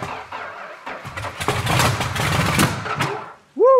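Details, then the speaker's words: Petty Blue Plymouth Superbird V8, V-code car missing its original six-pack, unrun about 40 years: ragged, uneven firing bursts that stumble and catch on poured primer fuel; dry engine struggling to start, runs briefly and catches fire. "the good news it runs the bad news is it's on fire"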